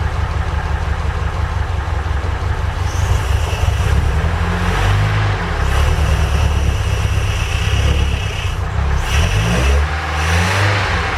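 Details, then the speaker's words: Ford Capri Calypso after 14 years stored, old tank fuel diluted with about seven litres fresh, sticky accelerator: uneven low idle around 750 rpm with small pops and stumbles; backfiring from stale fuel. "Um, yeah. So, it's probably just a mix of bad fuel and stuff. Um, I've got a bit more fuel left. I can put that in just to further dilute it and hopefully get things going."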